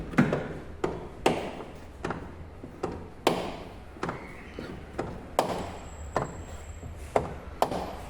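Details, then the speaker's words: Car door making sharp knocking clunks as it swings open, owner's complaint; cause a loose Torx screw on the door check strap, fixed by tightening it. "só vim aqui e apertar o parafusinho estriado que ele vai aqui no limitador da porta tá ele solta ele faz esse barulho bem chato"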